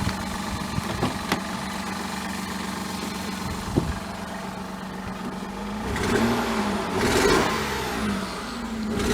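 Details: 2000 Mazda MPV 2.5 L V6: uneven idle with sharp ticks and rough short revs. An exhaust manifold leak and an engine misfire are suspected, not confirmed.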